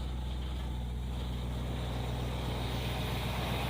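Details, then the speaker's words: 1964 Plymouth wagon with a 440, first fire-up after rotating the plug wires one tooth, still on poor plugs, cap and wires: deep, steady V8 burble, firing evenly with no knocks or stumbles; normal idle. "And it's pretty smooth. Old ugly ass motor sounds pretty good."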